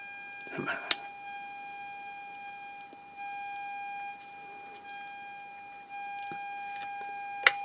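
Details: INTER Kenya transistor radio under repair, three RF transistors replaced and a degraded 300 pF capacitor found, set still not receiving: a clean steady mid-pitched test tone fed into the detector diode plays from the speaker and follows the volume potentiometer; the audio stage works.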